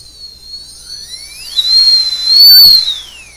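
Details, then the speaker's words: Brushless motor on a HobbyKing Skipper XL plane, first run after ESC calibration with a Naze controller, starting at 1050 throttle: piercing whine climbs fast, holds loud, winds down; good power and torque, but owner suspects it needs balancing or bearing lubing. "and this motor may need some balancing but man it's kind of loud so good power though lots of torque"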